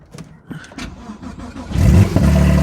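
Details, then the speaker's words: Salvage-auction wrecked car with front-left frame damage, jump-started with a jumper pack, fitted with a loud aftermarket exhaust: brief cranking, then it catches and settles into a loud, deep, steady rumble with no knocks or misses. Normal start and idle. "she's alive this thing is super loud"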